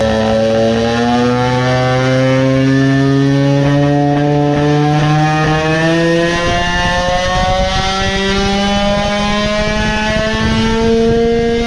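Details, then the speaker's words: Tuned two-stroke moped engine, main jet reduced from 135 to 130: buzzy high revs with slow climb and slight roughness; more top end but midrange lost, running lean before the powerband. "with the 130 jet it got some more on the top but lost a lot on midrange because it runs lean before the powerband now."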